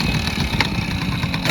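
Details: 1968 Suzuki Sportsman M15-2 50cc two-stroke. A busy, even burble at a steady idle with no misses or knocks: starts and runs well. Heavy exhaust smoke, thought more likely to be too much oil in the petrol mix than worn crank seals.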